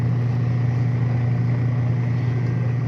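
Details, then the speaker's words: Repaired washing machine (capacitor and bushing were faulty, wires joined with electrical tape) test-run after repair: even, steady low hum with no grinding, squeal or knocking; now quiet and running normally. "siya idol, tahimik na."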